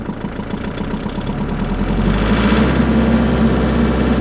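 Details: Kubota small diesel tractor started in cold weather after a snowy night, glow plugs preheated 5 to 10 seconds: it catches after a short crank and settles into an even, steady idle clatter. A healthy cold start.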